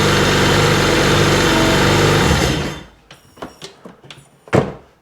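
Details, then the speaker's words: Nasty RXDI engine after fitting a new fuel rail, with the injector and regulator found packed with rust: rough, uneven running with a stumbling beat before shutting off. Still a slight misfire; cause unknown. "Still got a bit of a misfire to [Music] it."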